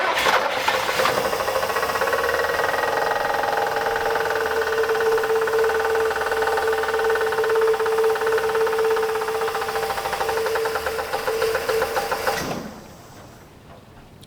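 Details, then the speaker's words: 1965 Buick LeSabre V8, unrun since 1989, with an engine previously rebuilt by someone else; a hard, sharp knock about 3.5 times a second over idle, with a hard stop felt; the owner doubts it is rod knock and suspects interference, possibly in the oil pan. "when they put the engine back together they're like oh it's got rod knock don't even worry about it I just I really wonder if that's the case"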